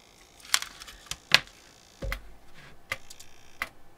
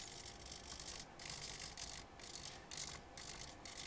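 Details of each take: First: Elektor Laser Timer Writer on an Arduino fed 5 V from a bench supply makes irregular sharp clicks, clatter and a faint buzz. It malfunctions because the board needs at least 7 V to regulate its 5-volt rail. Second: Elektor Laser Timer Writer (violet laser writing time on glow-in-the-dark sticker) with servos, after calibration attempt: quick whirring servo bursts about once a second with short quiet gaps, even rhythm; servos moving normally, described as very noisy.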